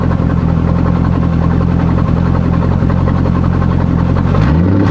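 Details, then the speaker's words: C5 Corvette on a lift with the exhaust cut and disconnected ahead of the mufflers. It gives a loud, raw, rumbling V8 idle with a harsh open bark, sounding like open headers or a broken exhaust, somewhat echoey. "but it sounds just like when people have like open header pretty much, or like their exhaust is broken. So I don't really like the way that sounds."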